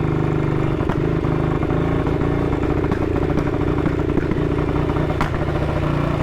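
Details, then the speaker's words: 1959 BSA ridden at 7°C, with a rough, uneven beat and sharp backfire pops every couple of seconds. The ignition key had fallen halfway out of the lock, and the owner suspects it was cutting the ignition. "Got a hell of a backfire. So, that was backfiring, and I thought, oh God, Dave, have you put diesel in it?"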